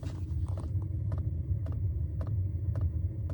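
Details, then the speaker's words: Diesel heater fuel dosing pump, working normally and wrapped in a towel under a bed: sharp, even ticks about twice a second over a low hum, which padding failed to muffle. "There's the pump making its ticking noise."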